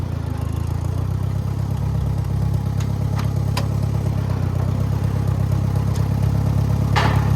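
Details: Farmall 404 tractor after clutch work, reassembled using threaded rod: deep, even idle with only an odd light clink going into gear. No clutch rattle or chatter, and it shifts into gears and reverse fine.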